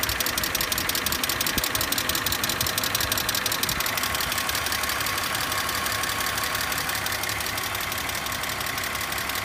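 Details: BMW E46 petrol engine idling with a quick, steady light clicking, about three a second, over the running sound.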